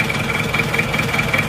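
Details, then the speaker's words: Old, worn engine with blow-by, smoke pushing out when the filler is opened: uneven, lumpy idle with rough pulses about every fifth of a second and a shuddering beat; engine shake from wear, not engine mounts; smooth after engine repair. "itu biasanya ngobos itu bisa goyang tetapi ciri khasnya itu ngobrol jadi ngobos lah jadi ditutup isiannya keluar keluar asap Contohnya seperti ini Mojokerto ini sudah seperti ini dan goyangnya seperti ini"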